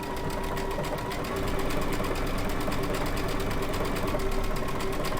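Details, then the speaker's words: Baby Lock Altair sewing machine with circular sewing attachment, after freeing what was caught on the presser-foot bar: fast steady needle rattle at even pace, no snagging or labouring; normal stitching, feeding much better. "oh yeah she it is feeding so much better now there we go"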